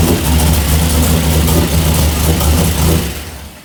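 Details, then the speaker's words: V8 truck engine idling with a deep, steady burble and even low pulse, no bottom-end rattle or knock; after repair, bottom-end noise was traced to loose torque converter bolts and fixed. "It's fixed. Shouldn't I have put it in drive, check that? No, I can already tell it's fixed. It's not rattling."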